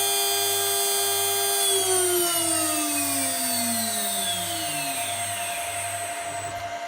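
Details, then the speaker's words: HSD 400 Hz CNC router spindle on an Ecogoo 9100 VFD with a 250 W, 50 ohm braking resistor and a 5-second braking time; high whine glides smoothly down from 24,000 rpm to a stop over about five seconds, normal braking. "And then press the stop button and it should stop in 5 seconds."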